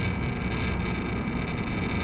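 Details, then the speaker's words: PTAC through-the-wall air conditioner fan started through a newly built custom control panel. A steady low electrical buzz sits under the fan noise at startup. The buzzing relay works but probably should be replaced. "it has a little bit of a buzz but it does work"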